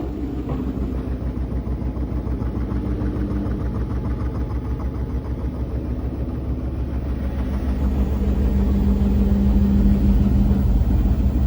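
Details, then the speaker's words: Koenic KWM 8212 A INV washing machine spinning 7 kg of laundry at 1000 rpm: a steady, smooth hum building as the drum speeds up, with no rattle; the earlier rattle disappeared after a few washes. "So, jetzt hört ihr sie schleudern mit 7 kg Wäsche."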